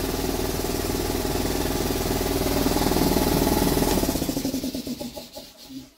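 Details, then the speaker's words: Repaired air compressor running on its original wiring, after contact cleaner was sprayed on the contactor/relay: fast, even chugging at about four beats a second, then it slows and stops cleanly. It is running normally, though the cause of the fix is unsure. "there is air coming on it's alive"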